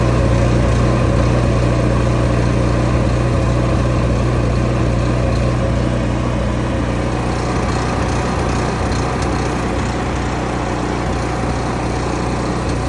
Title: Champion 11,000 inverter dual fuel Rough idle right out of the box. Lopes and won’t idle smoothly.